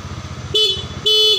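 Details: Honda Beat injection scooter after blown-fuse repair: two short bright half-second honks over a pulsing idle; horn works normally.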